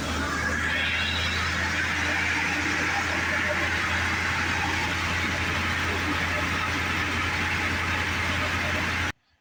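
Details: 2004 Ford Expedition 5.4L after replacing a screeching alternator with a new one for a battery light, charging at about 14.5 volts: steady even low hum at idle with smooth constant hiss, no screech or squeal; running normally.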